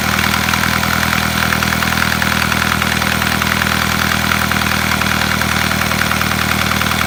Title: Стук в двигателе Volkswagen Passat B6